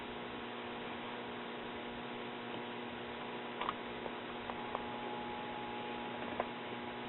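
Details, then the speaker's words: 1957 RCA Institutes kit AM tube radio, output tube plate 163 V, screen 171 V, cathode ~9 V: only a faint steady hum, slight buzz when touching output tube control grid, no audio; audio tubes found swapped in sockets. "i indeed get a slight buzz from the speaker when i touch the control grid of the audio output tube"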